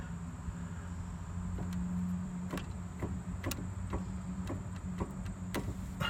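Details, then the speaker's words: 2003 Ford Crown Victoria Sport, right rear outer axle bearing, car on jack stands with tire off: low grinding rumble with irregular scraping ticks as the wheel turns. Worn wheel bearing suspected; noise appeared mainly when taking turns. "that's the bearing actually I think I hear a scraping in and out"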